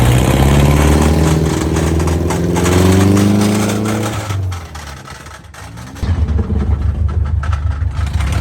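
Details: Subaru 2.5RS abandoned about 20 years, first test drive after clutch, fork and pilot bearing work: deep rough drone cutting in and out with rubbing scrape from loose driveshaft on rear differential; couldn't select 2nd or 3rd.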